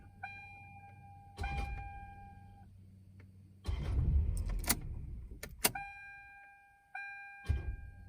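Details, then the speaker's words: Engine won't crank when key turned, lights on: low steady hum with no cranking, the starter stuck on a dead spot; hitting the key again starts it; starter to be replaced with a Denso remanufactured unit. "right there dead spot you can hear that humming nothing's happening and it won't start i'll let go hit it again starts up so that's a dead spot in your starter"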